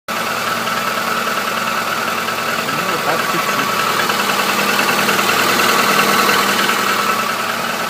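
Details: 2014 Chevrolet Niva, 100,000 km, cold start at -15°C idle: light, fairly regular tapping about three per second; knock lessens as it warms, present since new, hydraulic lifters and compression fine, source unconfirmed.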